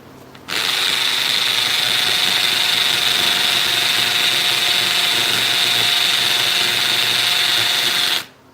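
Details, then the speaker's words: Hammer drill boring into granite. Continuous high-pitched whine with a fast, even hammering buzz, going much slower than on concrete. Normal drilling through hard stone. "as you can see it's going much slower than even the concrete so slow down that's it so that's how you use a hammer drill properly"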